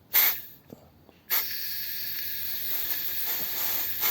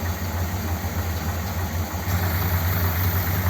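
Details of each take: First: 1957 Ford Thunderbird carburetor, air forced through a passage: short bursts of thin, choked hissing, strangled rather than free-flowing; the passage is crusted and virtually completely blocked. Blocked carburetor air passage. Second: 1957 Ford Thunderbird V8, mixture screws half a turn out, fan belt slightly loose: deep, steady burble with an even low beat and no stumbles or knocks. A healthy, settled idle.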